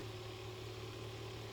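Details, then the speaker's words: Sovol SV07 (Klipper) input shaper resonance test at 40Hz sweeping toward 100Hz; quiet steady low buzz with no rattle and no visible shaking, normal resonance test vibration felt through table and floor. "at 40Hz right now. You can only hear it buzzing, but it's not moving, no visible shaking anymore."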